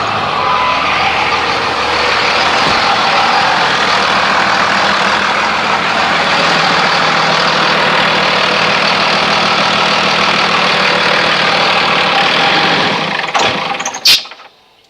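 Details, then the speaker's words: 2001 Dodge Ram 2500 5.9 Cummins turbo diesel after fuel filter change, aftermarket lift pump: steady diesel clatter about thirteen seconds then cuts out; stalled from air in insufficiently primed filter, restarted after more priming. "five times obviously wasn't enough so ran out of fuel it about ten seconds twice in it fired right up"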